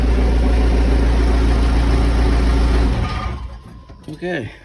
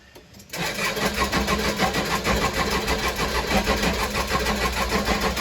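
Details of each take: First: Case 580 Super L backhoe diesel after running out of fuel and being primed: deep, steady rumble, even firing with no misses or knocks, then easing off; runs smoothly again. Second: Case 580 Super L diesel backhoe that ran out of fuel, refilled with about 9 gallons: steady starter cranking without firing; air heard in the tank when pushing the primer, fuel system air-locked.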